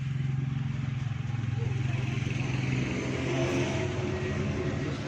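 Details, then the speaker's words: 2008 Toyota Corolla petrol cranking without starting, dash lights on, no spark at plugs; steady starter churning about three turns a second, never fires; crank no start from broken crankshaft position sensor wire. "जी दोस्तों, इसका प्रॉब्लम यह है कि गाड़ी स्टार्ट नहीं हो रही। सल्फ लगा रही है, ये देखें, लेकिन गाड़ी स्टार्ट नहीं हो रही।"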